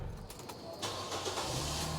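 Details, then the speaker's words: Nissan Grand Livina 1.5 XV 2010 automatic, engine running: catches and settles into a smooth, steady low hum with no knocks or roughness, no smoke, oil or water leaks; healthy standard engine. "Dan ini suara mesinnya halus ya, standar, normal, tidak ada suara-suara kasar."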